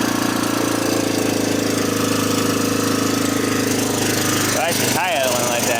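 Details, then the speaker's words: 1987 Honda TRX250 Fourtrax ATV, sat for years, first start after fuel work, no air filter: steady fast idle well above normal with tinny metallic top-end clatter; owner suspects vacuum leak or carburetor idle adjustment set too high, cause unconfirmed. "It's very metallic sounding. I'm not gonna lie. Not sure if that's how they normally sound, but it's."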